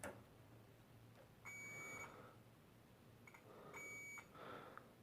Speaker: and there of course you have also some of these i think these are zero ohm resistors they beep as well